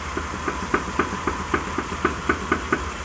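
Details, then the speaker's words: 2011 Mitsubishi Outlander driven slowly into the garage: sharp, slightly uneven clacks about four a second from the front suspension, coming from worn outer tie rods on both sides; both replaced, after which no more shaking. "just by driving the car into the garage the front suspension size for all kinds of things are cranking around all that noise up front is coming from the other tie rods"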